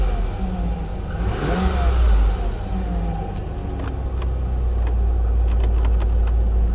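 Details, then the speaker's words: Salvage-auction Pontiac G6 V6, muffler had been blocked by a rock: quick throttle blip climbs and drops back cleanly, then even idle with no knocks; runs well. Normal engine revving. "give it a little throttle it actually runs well very well"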